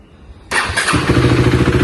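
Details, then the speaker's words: Motorcycle start and idle in proper condition during a used-bike check: clean crank, then an even, steady thump with no tappet noise, knocking or rattles; normal start and idle. "So ఐడిల్లో అయితే ఇలా sound వస్తుంది బండి. ఏమన్నా abnormal noises కానీ ఏమైనా వస్తున్నాయని చూసుకోవాలి."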